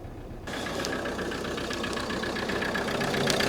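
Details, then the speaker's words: Ford Custom van 2.2 L E5 125 hp diesel, failed under 6k miles after engine swap, pushing oil out of the breather: engine catches into uneven idle with fast, irregular knock that builds, whole engine shaking — rough running. "It's not liking it. As you can see, engine goes bananas. It's all shaking."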